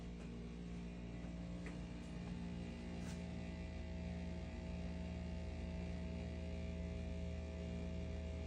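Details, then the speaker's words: Brio Limited Edition top-loading hot and cold water cooler dispenser: steady low droning hum with faint rattly buzz, loud vibration persisting despite moving and bracing, hot water off, worse when hot water on; cooling not working, owner smells suspected Freon leak. "We've moved it, we've tried to brace it, and the hot water's not even on. Worse when the hot water comes on."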